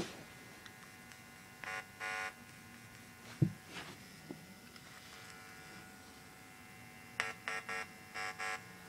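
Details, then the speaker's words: Homemade TDA2616 stereo amplifier (about 24 W, ±7 V rails from a bench supply on a variac) at power-up at very low level: faint steady buzz with occasional louder raspy bursts; the speaker is not yet in a box. "we're gonna plug in I've got it on the variac very quiet level now you could hear it buzzing oh"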